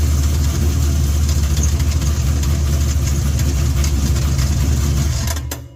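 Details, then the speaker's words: Engine idling with a deep rumble and a loose, uneven knock underneath until shutdown; owner suspects a cracked flexplate between engine and torque converter, later replaced with a new flexplate. "so we'll find out here shortly if it is in fact a broken flex plate. What is that noise?"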